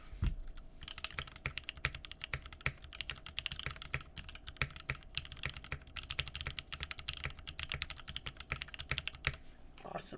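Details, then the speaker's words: Rebuilt mechanical keyboard with a new POM plate and Mint switches, recorded close up: clean, fairly deep clacks at three to four keystrokes a second, no rattle or ping; sounds much better than before the rebuild. "that sounds much much better awesome okay I feel much better about this board now"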